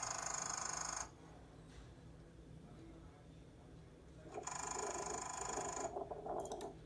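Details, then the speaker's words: Late-model BMW Valvetronic servo motor: a sharp, high-frequency buzzing rattle lasting about two seconds when the DME wakes up, then quiet; it can be sporadic or continuous and indicates a failing servo. "all right so the rattling noise is actually much much rather and it's only for two second the verb 27 more time making rattling noise when DME is waking up and is high-frequency and stop after two second"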